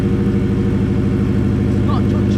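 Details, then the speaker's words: Subaru Impreza flat-four after gearbox refit, no exhaust fitted, warmed up to temperature at idle: steady, even idle beat with no knocking or tapping, running smoothly and sounding healthy. "so classified up now it's got up to temperature it does sound nice it's purely nice"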